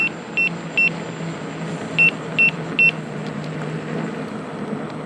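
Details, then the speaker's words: Begode (Gotway) EX-N electric unicycle at about 70.5 miles into range test, riding 18–19 mph, 79.5 V under load: five sharp high beeps over riding noise, low-battery warning. "well that didn't take long we're about 70 and a half miles and i'm getting getting the beeps at about uh you can hear about 18 to 19 miles per hour"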